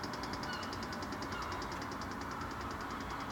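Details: 2015 Mini Cooper Diesel (F56): rapid, even, light high-pitched ticking about six per second over a faint hum from the engine bay after switch-off, also occurring randomly while driving; filmed from outside the car, cause not yet found.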